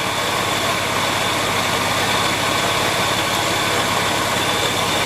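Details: Porsche 911 996 C4S idling; smooth, steady whir from an idler pulley with no grinding or rumble, a healthy bearing, heard by stethoscope while hunting a drivebelt pulley noise later traced to the tensioner pulley.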